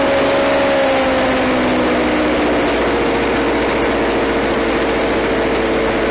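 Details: Victa Power Torque VE40 two-stroke mower after replacing carburettor main jet (engine was flooded at first): steady even high buzz, pitch level, no stumbling or surging; running cleanly.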